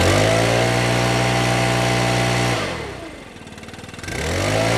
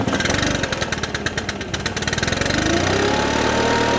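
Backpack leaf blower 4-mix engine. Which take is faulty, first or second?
second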